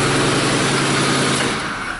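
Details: 2006 Ford F-150 5.4 with no crank, no communication and codes U1900/U2023: the engine fires and runs roughly, possibly with exhaust manifold leaks, then sags and dies; intermittent running from a failed PCM power relay.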